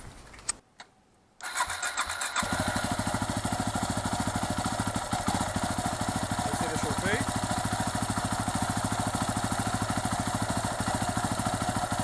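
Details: 2008 Yamaha WR250R after replacing the fuel pump with a Highflow Fuel HFP-390; silence, short crank, then the single catches and settles into a steady even beat, no misses; healthy start and idle.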